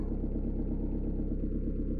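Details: 1.9D Peugeot/Citroën diesel after valve clearance adjustment, which cured rocker tapping, hard morning starts and smoke at start and on acceleration: even, steady idle clatter with a regular low pulse and no stray knocks.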